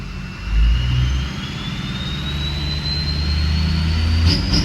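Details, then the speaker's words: Ford 6.0 Powerstroke diesel warming up, throttle to about 1,000 rpm: revs rise but rough and uneven, sounding out of time; scan tool shows no cam fault and stays connected; cause not found. "I mean, it'll rev, but it just kind of sounds like it sounds like it's out of time, doesn't it?"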